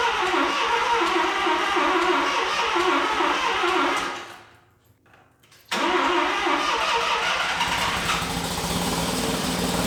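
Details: Mazda RX7 FB rotary, first start after refueling with fresh regular gas, heavy smoke: catches and runs rough, dies nearly silent a second, then refires unevenly; flooded engine clearing.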